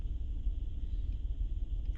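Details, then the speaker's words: 2008 Honda Pilot at start-up and idle with misfire codes for cylinders 4, 5 and 6: deep lumpy stumbling idle, cylinder 5 misfiring rapidly and 6 close behind; possibly a bad coil or injector. "you can see right away number five is pinning right away and painted pitting really really fast six is right behind it but not that rapid maybe a bad coil maybe a bad injector who knows"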